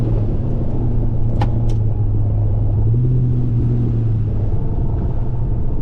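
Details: HSV VP Senator with new headers on a first test drive around the block: only a steady low road rumble, no scraping or grinding; the earlier noise is gone. The transmission seems to use only two gears. No brake noise.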